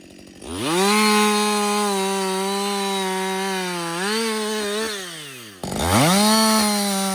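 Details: Husqvarna 562XP chainsaw, reflashed by the shop after dying when hot, not starting and stumbling, hot-restarted without fast idle, cutting on its first full uninterrupted tank: screams to steady high pitch, sags slightly biting wood, revs cleanly again; running healthy.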